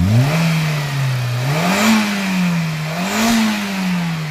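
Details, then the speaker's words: Petrol car with poor pickup and mileage despite new spark plugs and coils; after a tight tappet was adjusted looser, the engine revs up and settles smoothly several times with an even, clean note, no tapping or misfire. "Automatic engine की आवाज बिल्कुल खुल ग अब देखो slow में भी बननी होगी गाड़ी"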